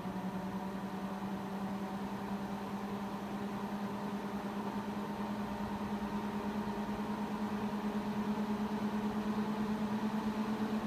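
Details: Mac Pro 1,1/2,1 with 48GB of 8GB DIMMs on a new motherboard, running a benchmark from idle: steady whirring fans ramp to about double their usual speed, climbing in pitch and loudness toward maximum; temperatures still a few degrees cooler.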